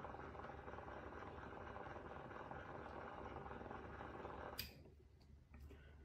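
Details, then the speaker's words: PSR-E-C actuator with a PSAP.3 positioner, driven to the open position during commissioning: steady motor hum for about four and a half seconds, then a crisp click and silence; normal travel and clean cut-off. "then it cuts off nicely and if we go to the middle position again from this direction then it's quite accurate there as well and now let's go to the closed Direction so the actuator is still running properly here and it cuts off at 0.1 volt DC as well"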